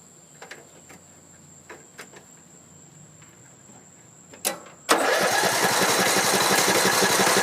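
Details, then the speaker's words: Troy-Bilt Pony 42-inch mower, Briggs & Stratton I/C 17.5 hp, freshly charged battery, first start attempt: clicks then steady even cranking, never catches; owner unsure whether fuel or no spark. "So nothing. I don't know if it's a fuel issue or if we don't have spark."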